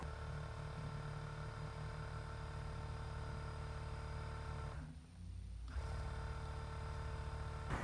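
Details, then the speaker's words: Wheego electric car with 12,000 miles in 4 years, brake vacuum pump after repair (loose screw on a piston diaphragm tightened): steady low hum with even pulsing, no rattle or knocking, quiet power brakes; normal vacuum pump running. "So now it's fixed fully and back on the car, and I have actual power brakes at a reasonably quiet level."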